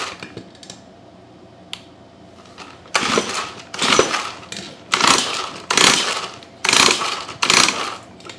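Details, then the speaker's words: Stihl 4-Mix hedge trimmer: five pull-cord yanks, each a light, free whir with no firm chuff against compression. It has almost no compression and is likely beyond repair. Low compression. "sounding so hot it's actually got almost no compression so this one might be a goner let's take the plug out"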